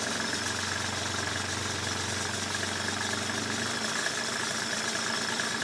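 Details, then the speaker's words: 1995 Mercedes E300, cold idle that was rough and too low, now raised slightly; even, steady idle hum with no stumbling, sounding a lot better: normal idle. "Rough idle, but idle it up just a little. Sounds a lot better."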